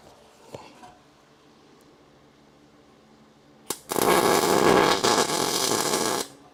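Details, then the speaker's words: Consistent MIG welding on frame rails, like sizzling bacon: about two and a half seconds of even, steady frying crackle with no pops or breaks, showing correct welder settings. "That it should sound like sizzling bacon. That's what everybody tells me. And it should be consistent."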